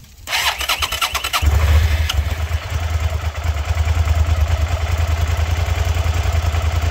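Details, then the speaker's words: SV650 motorcycle on its first start after a rebuild, with the battery reading about 11.8 V after an earlier no-power fault. The starter cranks briefly, the engine catches and settles into a steady, even idle. The owner suspects a loose battery terminal. "Alright, so bike was working, bike wasn't working, bike is working. I'm gonna bet on a loose terminal because that's the only thing that makes any sense."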